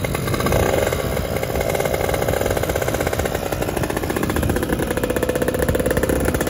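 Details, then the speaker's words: Fizr two-stroke test-ridden after upgrading to a PWK28 carburetor: it burbles and blubbers rich at low revs, then runs thin and crisp up top. Jetting is wet at the bottom and dry at the top, so the pilot and main jets will be changed. "Nah jadi teman-teman ini bawahnya kebasahan atasnya kekeringan jadi nanti kita ganti pilot jetnya ya sama mainnya"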